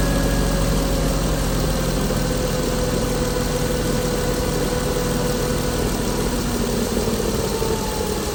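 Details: 2016 Chrysler Pentastar 3.6L V6, stated as about 2017 in a 2017 Dodge Ram 1500 regular cab, busy idle with a loose, uneven chatter and faint drifting whine; owner reports a massive cranking noise at start; cause unknown.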